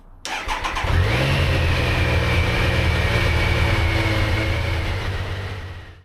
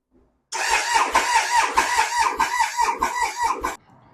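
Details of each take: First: Triumph Sprint 955 motorcycle after shims corrected low compression on cylinders 1 and 2: catches after a short crank, revs and settles into an even beat on all cylinders; normal start and idle. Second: Triumph Sprint 955 three-cylinder cranking before valve shim replacement: fast uneven cranking beats with some light strokes; low compression on cylinders 1 and 2, likely from the shims, corrected after shim change.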